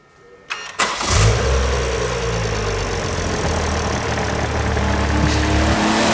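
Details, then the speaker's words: BMW M140i B58 engine first start after Pure800 Cast turbocharger install: short crank, catches with a flare of revs, then settles into a deep, steady, even idle without misses; normal start-up and idle. "So we're now going to start it up after all that work, and obviously it'll all be absolutely fine."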